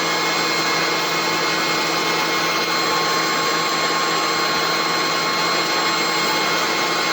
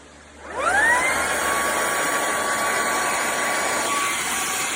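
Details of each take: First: Bissell ICONPet Turbo cordless stick vacuum with a full battery charge: loud, steady high motor whine holding even pitch about seven seconds, then spinning down cleanly; owner says it's loud but works well; healthy running. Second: Bissell ICONPet Turbo cordless stick vacuum, fully charged, canister emptied, rear filter checked: motor spins up to steady high whine, runs a few seconds, then pitch sags as it cuts out; intermittent cut-out, cause not confirmed.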